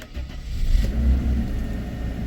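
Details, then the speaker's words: Mercedes E300 W124 abandoned 9 years, now repaired and driven daily for a few days, battery kept hooked up: short crank catches quickly into a deep steady idle, no knocks or misses; runs better each day; normal start and idle. "still starts and uh every day that I'm uh driving the car runs better and better because everything comes back to life"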